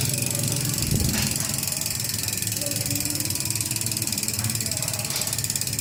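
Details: Ragusa XM500 hub while coasting: a loud, fast, even buzz of ratchet clicks. Healthy freehub with a loud pawl engagement.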